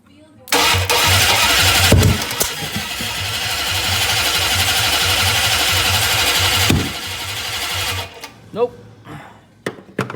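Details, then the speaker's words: Rebuilt 1967 273 V8 in a 1966 Barracuda, first fire attempt: steady starter whir with even compression pulses for about six seconds, never catches; cranks but won't start, owner suspects ignition timing is off, later fits new points and sets timing. "Off his timing, it sounds like."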